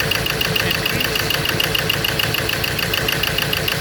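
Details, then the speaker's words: Ford Ranger diesel with number three injector disconnected and no electrical pulse on cylinders one and two wiring; rough idle with irregular knock about three times a second, uneven beat, cylinders not firing; fault being troubleshot. "so i disconnect number three there so i'm not getting no pulse in this wire one and two no electrical poles"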